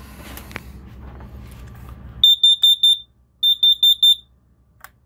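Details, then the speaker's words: Boat carbon monoxide alarm going off with no combustion engines running while shore power charges house batteries: two bursts of four rapid piercing beeps; owner believes hydrogen gas from charging triggers a false alarm. "one of the joys of living on a boat carbon monoxide alarm"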